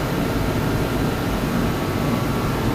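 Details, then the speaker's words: DeWalt torpedo heater after pressure was adjusted further, following a no-start and fuel-spitting issue: steady, even roar of fan and flame, no sputter, pops or surging; burning normally. "well they adjusted the pressure of this a little bit more everything seems to be running okay now"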